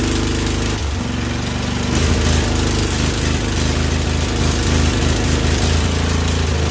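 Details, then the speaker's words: Husqvarna YTH2148 lawn tractor, Briggs & Stratton Vanguard V-twin, freshly worked-on carburetor: lumpy, uneven putter running on and off one cylinder; one exhaust pipe stays cool while the other is burning hot. One cylinder not firing consistently. "this side is not going not at least not consistently I could basic I can can touch the pipe whereas this side I can't even get near the pipe it's freaking burning hot"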